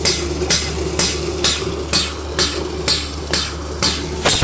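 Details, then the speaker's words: Used Flojet BIB syrup pump bench-tested with sanitizer through an auto shut-off and BIB connector during refurbishment. Sharp chuff about once a second over a low steady hum, with crisp, evenly spaced strokes. Water flows well. Normal pump operation. "how it's see the water flowing really good. Water flow's not bad at all."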